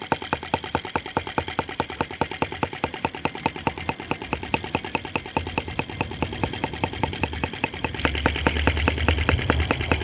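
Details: OKMO T16B Lanz-type brass half-tracked model tractor, outdoors, blowing smoke rings at scale speed: crisp, evenly spaced slow putts with no misses or knocks; normal, clean, healthy slow idle.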